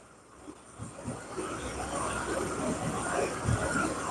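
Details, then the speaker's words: Carbureted engine during mixture and idle adjustment, choke not staying open, turning the mixture screw having changed nothing: it runs slightly unevenly with scattered soft low pops, then straightens out somewhat. Carburetor popping from a mixture that is off. "It's not. You hear it popping a little. So it straightened out some right there."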